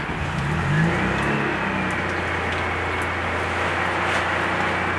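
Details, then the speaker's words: Fiat Panda 4x4 Sisley, cold engine held on choke and a touch of throttle after stalling once; steady, even low drone with no misses or knocks, runs well, though the owner thinks it runs a little rich with sweet exhaust smell. "She runs, and she runs well."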